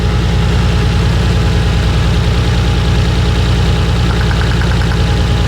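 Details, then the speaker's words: Nissan R34 idling with a slightly lumpy, uneven beat after the bad coil from cylinder number four was swapped to number one; that cylinder gives no spark, confirming a dead coil. Misfire from dead ignition coil. "that all right that one so hopefully you guys could hear that coil number four was bad so I swapped it over to number one"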